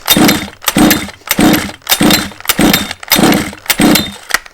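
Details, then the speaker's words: 1/5-scale petrol two-stroke Baja RC car being flooded by continuous pulling: repeated hard pulls about every 0.6 s, each a rising whir that dies away with no catch; fuel makes the plug too wet to ignite, so it won't fire. "tip number one flooding the engine now this can be done by continuously pulling the engine like so"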